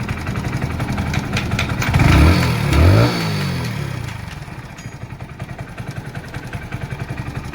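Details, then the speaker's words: Hero Splendor Plus BS6 motorcycle idling and revving with a light metallic clatter from a loose timing chain; the chain tensioner isn't holding it tight and likely needs replacing. "दोस्तों यह timing चैन काम करता sorry pump काम करता तो timing चैन tight रहता दोस्तों आवाज कम आती यही दिक्कत है दोस्तों"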